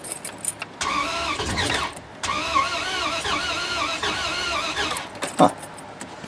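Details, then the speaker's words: 2003 Dodge Ram 1500 4.7 V8, bought as a non-runner and tried before any repair; no stored codes after a possible reset. Starter whirs steadily about four seconds, pauses, then cranks again without catching and sounds a little funky: cranks but won't start. "sound like i wanted to go there for a second sounds a little funky"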